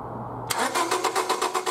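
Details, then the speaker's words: 1999 Honda Civic 1.6 SOHC VTEC, distributor cap off, cranking: even, quick cranking at about five turns a second with no firing; no spark to the plugs, traced to a failed ignition coil. "I have no spark going to the spark plugs so it took the silver cap off crank the motor"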